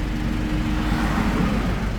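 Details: Mazda BT50 / Ford Ranger common-rail diesel after injector adjustment and a return-valve replacement on injector 2, fixing a knock and hard starting: a deep drone that rises smoothly with the throttle blip, with no knock or misfire; normal revving.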